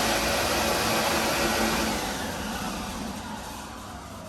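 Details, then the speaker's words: MEI hydraulic elevator machine room, pump motor running: steady loud rushing hiss over the pump hum with frothy churning; air in the oil tank. "You hear the air in that oil tank. It's pretty funny."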